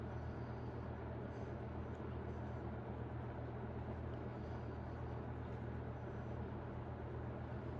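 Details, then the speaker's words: 1991 Robeson 20-inch box fan running on low, drawing 0.69 A: steady low hum with a soft airy whoosh, fairly quiet; normal low-speed operation. "Fairly quiet. Decent low speed here. Drawing 69."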